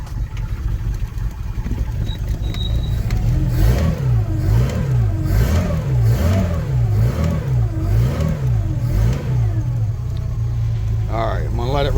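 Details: Carbureted Volvo Penta V6/V8 marine engine with a Holley carburetor and electric fuel pump, started for winterization service: catches, then quick rev blips rise and fall cleanly before settling to a steady, healthy run.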